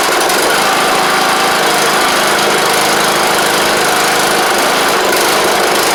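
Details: John Deere LA100 riding mower, long-sat, running off choke: the single-cylinder engine runs steady with an even, busy exhaust rattle and no misses or knocks. Owner suspects a failed spark plug and expects more run time to help.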